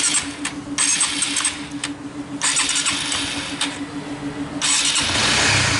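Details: 2017 Honda Sonic single-cylinder after repair: the sticking automatic cam chain tensioner was replaced and fresh oil added. Even, steady idle with a low hum and no top-end rattle or ticking; the earlier rough ticking is gone and the engine is smooth again.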